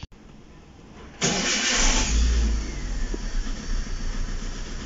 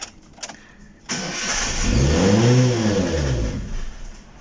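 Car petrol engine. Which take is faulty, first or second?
second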